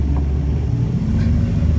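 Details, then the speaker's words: 1962 Ford Falcon with an electric fuel pump, after an air pocket cleared and the fuel bowl was primed, started with the choke halfway: deep, even rumble settling into a smooth, steady idle with no knocks or misses. "Our car fires right up. I had the choke halfway on. She fired up good."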